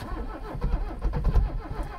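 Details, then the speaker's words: 1985 Mercedes-Benz 300CD turbodiesel: slow, labored starter churning with a few uneven catches as it nearly fires, and the batteries run down. "oh it tried it tried right there i think it'll do that's too much for the batteries yep that's it for the battery"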